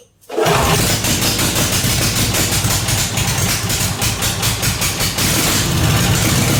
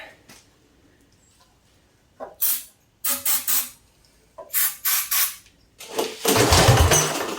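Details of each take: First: Briggs & Stratton 16 hp 479cc Vanguard V-twin in an off-road go-kart, straight-piped, after carburetor deep-cleaned: catches after short crank, settles into loud even steady idle, no misses; runs really good, slight oil on header. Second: Briggs & Stratton 16 hp 479cc Vanguard V-twin for a go-kart swap, straight-piped, before carburetor cleaning: short cranking bursts, then two loud raw firing bursts on flammable spray that die away; dirty carburetor.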